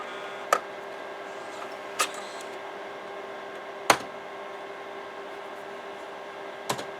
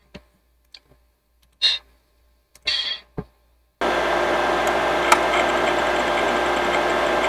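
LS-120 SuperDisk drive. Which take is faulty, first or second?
first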